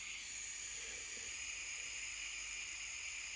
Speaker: You can hear the gas coming out, but this never lights up. It should.